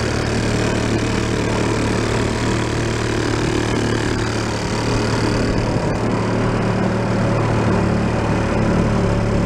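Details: 1937 Sears Water Witch 2.5hp outboard, 83 years old, revived after about 60 years in a shed, mixture set richer: steady, even buzzing drone as the boat moves through water, no misses or knocks, getting warm; normal running under load.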